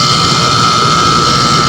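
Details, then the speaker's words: Outdoor aircon compressor started after checking the contactor contacts, which showed no burning: a loud, even hum with a steady high tone and no knocking, stalling or cycling. Normal running, though the refrigerant charge then seems nearly empty. "Maganda ang pagkakandar niya."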